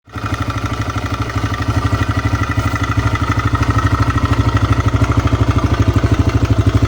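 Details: TVS Raider motorcycle engine: steady low putter with a regular knock about three times a second and a faint high ring on top; abnormal engine noise, cause unclear.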